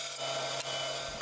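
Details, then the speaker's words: Bandsaw cutting wood fed with a push stick, guard and guide set low for the material; steady rasping cut with a faint, even blade whine and no chatter or binding, a normal clean cut. "So as I'm pushing a piece of material through the saw, I'll notice the regular rhythmic sound of the blade cutting."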